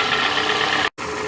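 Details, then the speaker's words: 2007 Toyota Camry with a misfire that moved to cylinder 1 with the swapped coil, as the scan tool misfire count confirmed; a failed ignition coil, and the fix is replacing the cylinder 1 coil; an uneven idle with a faint irregular stumble. "so this car just needs an ignition coil replace cylinder number one ignition coil"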